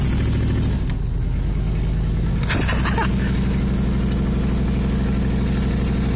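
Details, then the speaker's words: 1978 Chrysler Cordoba driven around the block just after transmission work, fuel low: engine pulls steadily with a smooth continuous note and no rev flare; automatic transmission takes up drive with no slipping. "No slipping or nothing."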